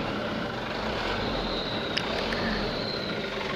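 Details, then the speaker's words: 2018 Mitsubishi Canter diesel, stock turbo before adjustment, idling: faint thin high turbo whistle audible from 0 to 2000 rpm, replaced by a humming drone above 2000 rpm; normal original turbo sound. "Ya, dia suara di 0 sampai 2000 RPM masih terdengar suara turbo stasionernya ya, wir wir wir wir gitu."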